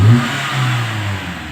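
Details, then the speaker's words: 2016 Toyota Sienta after engine carbon cleaning and tuning: idle dropped from 1000 to 700 rpm and is smoother; on a free rev the engine rises fast and falls straight back with no hang, unlike before; normal free rev. "Nah, kita coba gember. Sebelumnya cepat naik, lambat turun. Nah, stabil sekarang RPM-nya. Cepat naik, cepat turun."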